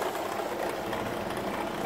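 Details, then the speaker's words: ACME handsaw vise and filer at first power-up: steady mechanical whirring rattle; pulley is missing its set screw. "now for the bad news that noise that noise is because well you can't see down in there but it's missing a set screw"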